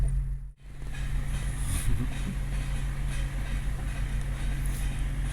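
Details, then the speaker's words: Farm truck being towed very slowly with a broken driveshaft strapped up underneath; loose uneven clunking as the broken shaft flops around against the rear end, the clunk going away above about 4 mph. "if I speed up a little bit, that clunking noise will go away at about 4 miles an hour."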